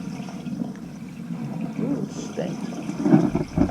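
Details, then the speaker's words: Main sewer line after clearing a clog, toilets flushed: steady gurgling rush of water pouring out with occasional surges and no backing up; line draining freely. "we can't see the curb of course but it sounds good she's running right out"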